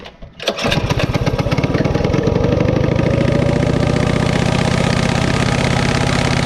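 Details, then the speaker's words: Coleman CT200U-A minibike, elevated, on choke, replacement throttle assembly fitted: small single settles into fast, busy idle that never drops; clutch stays engaged however the carb is adjusted, lower settings stall it; high idle, cause unclear. "I cannot get the uh the bike not to be engaged no matter how I adjust the carburetor"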